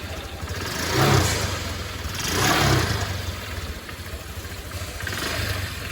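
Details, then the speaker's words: Scooter after CVT cleaning, pulleys retightened and cover refitted: revs up and settles three times with smooth even drone, no rattle or scraping from belt drive; no looseness or noise from dirt. "Hasilnya yaitu tidak terjadi pelonggaran atau terjadi bisikan karena kekotoran."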